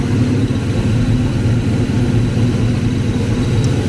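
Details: Foxbody Ford 5.0 Mustang with Kenne Bell 2.1L supercharger, third start after fixing a couple of botched plug wires: steady deep rumble with even pulses, blower spinning without clanging or banging, a slight squeal heard; normal idle.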